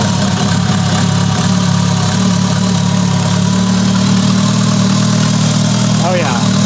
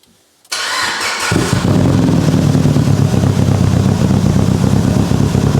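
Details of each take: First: Mitsubishi Lancer Evo 8, abandoned-car restoration, first start with new ECU after fixing broken wire causing misfire: steady smooth idle, even low rumble, no missing cylinder, good oil pressure; normal idle. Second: Mitsubishi Evo 8 restoration, first medium-cold start on base map, exhaust leaks fixed: quick crank then loud, uneven stumbling idle; misfire traced by unplugging injectors to cylinder 1 not firing.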